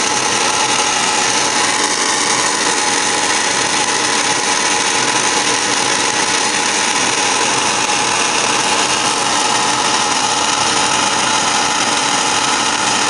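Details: Furnace on start-up, March 22, 2017: steady harsh whirring grind with a gritty hiss on top; abnormal noise, cause unclear.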